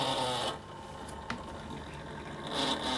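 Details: Marshall guitar amp cooling fan: steady motor-like whir with a thin buzzing tone that dips and returns, heard before the fan was replaced. The fan probably needs a clean; cause of the buzz unclear.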